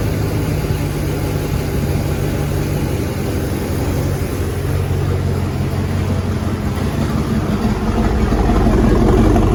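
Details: Freshly reassembled carbureted engine (coil, distributor, hoses just hooked up) holds a steady deep idle, even low pulse, slight rise near end, no knock or miss. Started without priming or starter fluid; normal idle.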